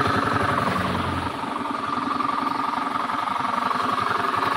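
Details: Honda Beat scooter at idle with a rough, rapid rumbling knock about four per second from deep in the engine, not the CVT or fan; worn crankshaft bearings.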